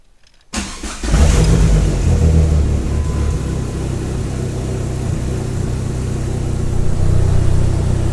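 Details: 2004 Dodge Neon SRT-4 after rewiring bad PCM connectors: short crank, quick catch, blip, then steady even idle with no stumble; normal start and idle.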